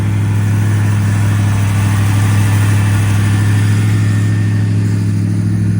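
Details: 1979 Ford Fairmont two-door police car running from its tank on five gallons of fresh fuel: a steady, low engine rumble, even and unbroken with no knock or miss, idling smoothly.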